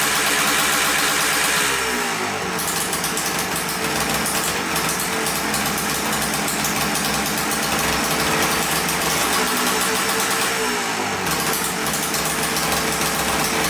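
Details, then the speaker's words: Freshly rebuilt 1989 Yamaha Blaster 200cc two-stroke quad on its first start: loud buzz runs steady, then revs hunt up and back on their own. Owner suspects an air leak, though spraying carb cleaner around the carburetor and flywheel found nothing. "all right it runs good but then it revs up i have nowhere like it's not getting gas but it sounds like an air leak to me"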